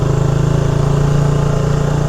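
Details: Motorcycle: deep, even thumping idle with a steady beat and no knocks or rattles; healthy engine.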